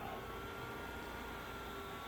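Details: BenQ W1080ST DLP projector at startup after cleaning smoke/dust buildup, lamp just ignited; soft steady airflow hum with faint constant tone, fans fine, though color wheel has a slight whine and may need replacing.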